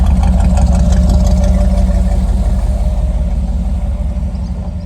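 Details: Chevy Van (Vandura) after replacing the power steering pump, first drive of summer: steady, even low engine rumble with a regular beat, no knocking or misfire; engine sounds healthy though the van body rattles.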